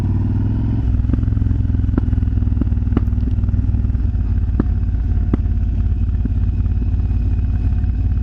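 Lumpy V-twin idle punctuated by sharp irregular pops roughly every second or two from the pipes; exhaust popping, cause unconfirmed.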